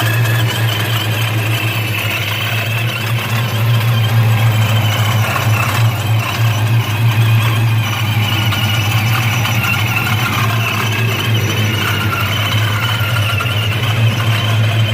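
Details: Dodge Challenger SRT8 with Procharger F1A-94 supercharger: steady high blower whine over a smooth, deep idle without knocks or surging; normal supercharger whine at idle.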